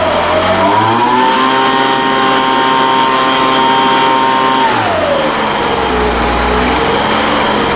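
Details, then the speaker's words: Craftsman 200mph two-stroke leaf blower, first run after carburetor service following unknown storage time: even buzz climbing smoothly to steady high pitch, holding, dropping back to idle; runs well, carburetor acted a little funny at first. "all right well that sounds pretty good I mean it runs now at least that's a big step right"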